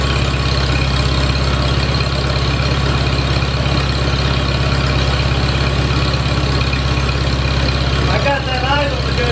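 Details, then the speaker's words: Farmall Super A tractor after ground cleaning and wire replacement restored spark and battery was charged; steady, even low idle with smooth regular firing, no misses or stumbles; running healthy. "I'm just tickled to death this thing's running you don't know how bad it was for me to shut that thing off"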